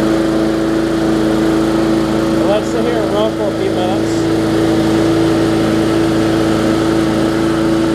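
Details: Bolens push mower with Briggs & Stratton engine, after no-start repair (bad fuel): steady even drone holding one speed, no surging or stumbling; runs smoothly.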